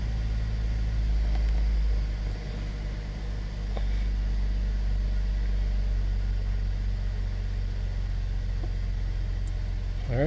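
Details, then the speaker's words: 2013 Cadillac SRX 3.6L idling right after new spark plugs, coils and intake plenum gasket were fitted; low, smooth, even rumble with no stumble, tick or misfire, running fine after repair. "right so uh everything looks good all right um so uh everything looks to be working fine"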